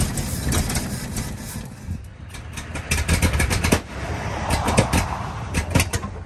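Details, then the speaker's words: 1948 Ford F-5 ex-ice truck run after about 45 years has an uneven, surging idle with pops and sputters and won't really drive; power is lacking despite a known-good carburetor (three tried), and the owner suspects it loses compression when warm or revved. "the old girl running she won't really drive I think that engine just doesn't have enough power anymore"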